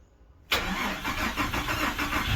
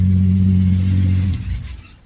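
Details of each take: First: Freshly swapped Ecotec engine, first start: heavy lumpy stumble about four beats a second, massive misfire; two cylinders cold, not firing. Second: Swapped Ecotec engine: steady deep hum then shutoff, no knocking; power steering pump noisy with air, owner thinks pump cooked earlier; runs well.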